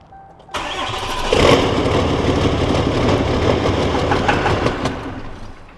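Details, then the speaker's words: 6.7L Cummins diesel that had cranked like no compression and wouldn't start: brief crank then steady even diesel idle with no misses, a little smoky from old fuel; normal start and idle after fix. "It runs. It's alive. Be a little smoky."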